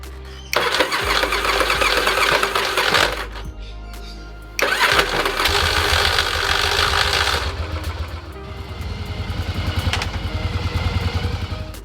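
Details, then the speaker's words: 1981 Yamaha XV750 Virago, starter gear problem: harsh grinding bursts on each crank attempt before it catches and runs; starter gear grinding on startup. "The thing I really dislike about this bike is the way it sounds when it starts. I don't want to spend all that time and effort turning this into a cafe racer and then be embarrassed to try and start this thing up in front of someone."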